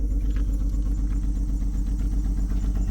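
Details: Salvage-auction 2007 BMW X3 listed as non-runner, first running on its own power with many dash lights on: rough idle with stumbling low thump about four times a second, uneven beat; large misfire on a cylinder.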